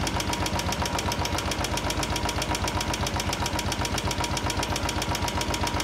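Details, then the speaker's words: Motorcycle engine after about 15–20 km of riding, once hot: sharp, evenly spaced ticking about four per second over the idle; hot, thinned oil leaves the hydraulic tappets unable to hold pressure. "देखा दोस्तों कैसी आवाज आ रही है मतलब बिल्कुल इसके hydraulic काम करने बंद कर गए इसके तो बेसिकली क्या हो रहा है ऑयल जब हीट होके पतला हो रहा है उस टाइम पे हाइड्रोलिक अपना प्रेशर कर ही नहीं रहा"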